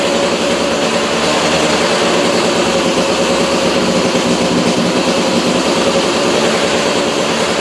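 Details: 2002 KTM 200 EXC two-stroke, first start-up after a top-end rebuild: a crisp, even two-stroke rattle holding steady speed with no knocks or misses. The engine sounds healthy and runs cleanly.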